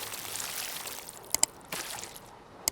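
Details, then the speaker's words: Washing machine after fill valve replacement, filling for rinse: quiet even trickle of water into the drum with a few light clicks, no hissing or hammering; normal fill, no leaks. "I think it does actually go a bit faster than that just rattling around a bit cuz I'm not uh properly balanced it on the floor just fill it up to rinse"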